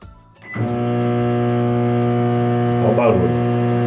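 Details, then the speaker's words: Philco microwave, loud and not heating, running opened with cup of water: loud steady mains buzz with coarse metallic edge throughout; loose metal cover panel vibrating, fixed by tightening it with pliers. "Essa lata aqui, ela tá solta. É só apertar ela. Para o barulho."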